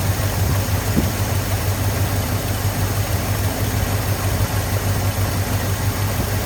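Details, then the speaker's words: 1983 Ford F250 with carbureted 460 V8, running after fuel filter fitted and priming, accelerator pump leak and stripped pump screw threads still to fix: low, even rumble around three pulses a second, no misses or knocks; normal idle. "So I got a little more to figure out with this thing, but it is running."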